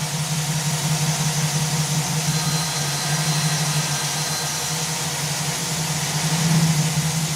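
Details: 2009 Chevy Silverado AFM V8, valve cover off, running to check valves: uneven loping idle with lumpy low beat, consistent with a collapsed AFM lifter and misfire.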